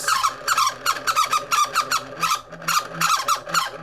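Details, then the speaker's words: Honeywell fan motor drawing above its 0.8 A rating: high-pitched squeaky chirps about three times a second as it turns; dry bearing squeal, it needs oil and may be too far gone. "So if your fan makes that noise, stop using it. Stop. Just stop right now. Because it needs oil."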